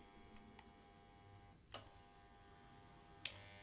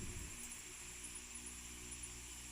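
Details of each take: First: Electric fan motor on speed 1 only gives a steady electrical hum with two sharp clicks; it does not turn and feels stiff when rotated by hand. Stalled fan motor. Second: Electric fan after disassembly, service and reassembly, previously dead or only humming: smooth steady whooshing hum with constant fine whine, no scraping or wobble; spins freely and runs normally.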